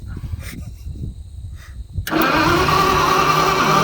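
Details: Old Motowlift forklift with propane-converted flathead Ford, distributor cap and rotor just checked: steady rapid cranking about four turns a second, never firing; cranks but won't start, cause unconfirmed.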